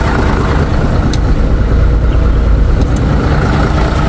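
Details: Mitsubishi Fuso Fighter truck, 6M60 diesel, previously wouldn't start (suspected ECU); after accessing ECU it starts: steady, even deep diesel idle, no knocks, misses or surges; many fault codes still present.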